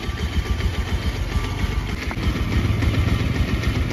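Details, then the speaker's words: Bajaj Pulsar 125 BS6 with a P2109 throttle position sensor fault that keeps stalling: a low, slow, uneven idle at about 700–800 rpm, too low. The customer says a mechanic tampered with the idle screw; after adjustment it reads 1100 rpm. "RPM जो है minimum अभी 800 700 के करीब में यह दिखा रहा है बहुत ही कम आरपीएम है"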